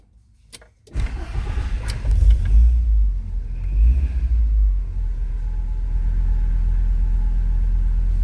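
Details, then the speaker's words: 2.5-litre VW Transporter T4 camper van, 302,368 km, cold start after exhaust repair following backfire damage from a faulty rotor button: brief crank, catches, settles to smooth quiet even idle, no big revs; no exhaust leaks. "Let's see how quiet it is. We do not want a loud vehicle. It is a camper van."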